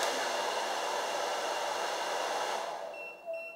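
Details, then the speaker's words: Fossibot F800 power station running a hair dryer on max ventilation at about 850 watts: steady blower roar cuts out abruptly, then a clear high beep and flashing AC logo; inverter overload protection trips. "Ah, vous voyez, ça y est, ça s'est mis en sécurité. On entend le bip et on a le logo ici, courant alternatif, qui clignote."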